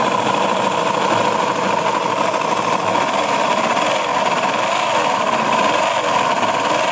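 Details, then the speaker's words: Honda Beat ESP (F4) scooter at idle with the CVT removed: loud, harsh, dense clatter still present, pointing to the engine; the mechanic's first analysis is worn connecting rod or left/right crankshaft bearings. "Ya, suaranya sangat berisik. untuk CVT sudah dilepas tetapi suaranya masih sangat berisik ya"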